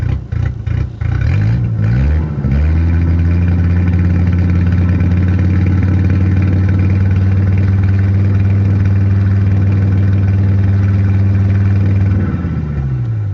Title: Misfiring and hard idling 10vt